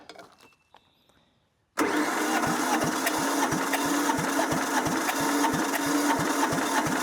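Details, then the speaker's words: Abandoned diesel compactor sat a couple of years, tank gravity-feeds diesel fine but no fuel coming out of the pump; steady unbroken starter cranking, about three compression strokes a second, no firing, cranks but won't start. "[Laughter] No fuel coming out of the pump. Interesting."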